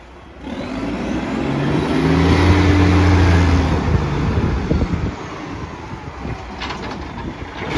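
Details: Garbage truck SL01400 in Mandurah pulling away: deep loud roar with raspy pulsing edge; suspected massive exhaust leak.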